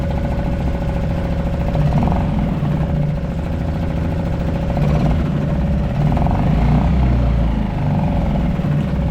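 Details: Suzuki DF 2.5 HP four-stroke outboard in a test bucket after an oil-level-sensor no-start, dirty water exiting exhaust from excess oil and gas in the cylinder: steady, even idle with a low throbbing note, no knocks or misses.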